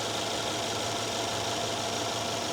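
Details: 2013 Mercedes S550 at a Copart salvage yard: an even, settled idle with a steady hiss and hum, no stumbling, shaking or knocking; the engine is idling normally.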